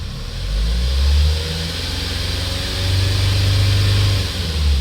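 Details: Hyundai Starex D4CB diesel, freshly swapped surplus replacement engine after blow-by on the old one: deep, even rumble swelling with each rev and settling back without knocks or misses; no smoke or oil spatter, healthy strong-running engine.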